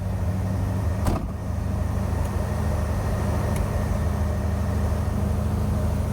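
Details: 1981 Chevy Corvette, brand-new V8 idling just after first start following electric fan, insulated fuel line and new filter, and spacer for overheating. Steady, even low rumble with no knocks or misses. Normal idle; owner suspects a bad thermostat from a bouncing temperature gauge.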